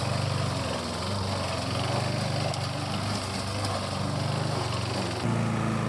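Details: 1988 Alco push mower, Briggs and Stratton auto-choke engine, repaired from non-start (diaphragm, a common issue), mowing with the old blunt blade: steady buzzing drone dipping slightly with grass load, then picking back up cleanly; normal running under load.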